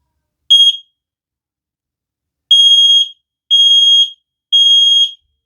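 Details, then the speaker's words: X-Sense wireless interconnected smoke and carbon monoxide detector, newly mounted, test button pressed beside a decibel meter: one short high beep, a pause, then three loud even high-pitched beeps about a second apart; working test alarm, very loud. "as you see there it gets very high and it is very loud"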